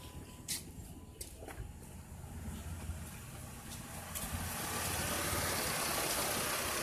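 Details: 2008 Chrysler Town & Country Touring: at first the key gave only clicking. After the battery posts were cleaned and it was jump-started, a few clicks, then the engine catches and settles into a steady, even run with no misses. It runs normally.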